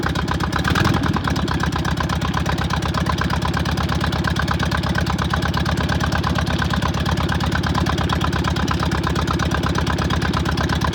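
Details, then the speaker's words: VW Beetle fed from a fuel bottle to the pump, after slightly off ignition timing was corrected: it catches after a brief crank and settles into a steady, even idle with no stumble; running properly. "all right it's running yes i'm super excited huge hurdle that we that i have behind me now"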